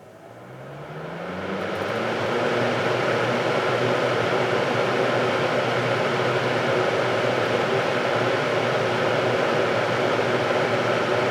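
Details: Vintage 7-blade Hunter box fan, motor cleaned and oiled, spinning up on high: steady even whir with a faint low hum after a smooth start, no rubbing or rattle; healthy motor.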